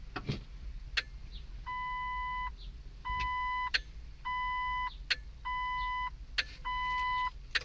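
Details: Jeep Wrangler no-start: relay-like clicks about once a second behind the dash plus a steady warning chime, with no cranking. The battery, starter and starting relay are new and the fuse is good. The owner suspects the brake-alarm circuit or relay, which was on a long time.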